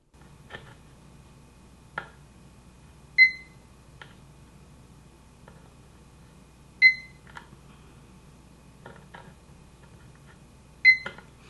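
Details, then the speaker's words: Uni-T UT161D multimeter in diode test on a red LED: three short high chirps after probe-contact clicks, indicating a good diode. "it lights up the red one and it also did a little chirp to let you know that it is okay so let's uh let's let you hear that little chirp"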